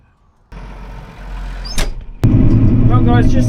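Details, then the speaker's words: Seed drill fertilizer metering system, gears turned by hand: harsh uneven scraping grind and binding, tough to move; owner suspects the bearings. "He believes it's the bearings, and you can hear some really bad noises when you turn the gears."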